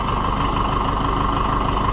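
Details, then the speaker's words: Oliver 550 diesel tractor idling during wiring work: steady, even low diesel chug with no knocks or misses, idling smoothly and healthy. "be quiet. You idle so beautifully."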